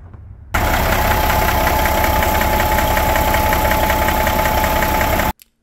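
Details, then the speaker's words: Cat 3406B older diesel idling loud with a fast, uneven knock, about four beats a second; customer suspected valvetrain knocking, but the cause turned out to be something else. "this video, we're working on an older cat diesel engine with what the customer thinks is valvetrain knocking."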